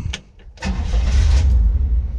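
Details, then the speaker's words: 1971 Chevy K10 4x4 pickup, small-block 350 V8, after sitting 10 years, restarted after stalling at low idle: short crank, catches at once, settles into a steady rumble; clean restart; carburetor gasket leaking. "Started right back up."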